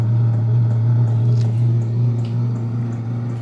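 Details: Vevor diesel air heater running on DC from a NOCO lithium battery, warming up with about half of its 5 L diesel tank: steady fan hum with soft regular ticking about three per second, quieter than expected; normal.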